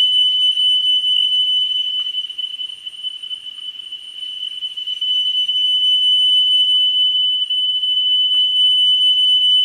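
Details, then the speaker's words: Pioneer CT-W205R 1990s auto-reverse double cassette deck during service: steady 3 kHz test tone fades and dulls briefly, then returns full as playback head azimuth is adjusted for highest pitch. "and as you can hear what i'm doing is i'm listening for that tone to be as high pitched as possible and at the moment i'm doing it on 3 k"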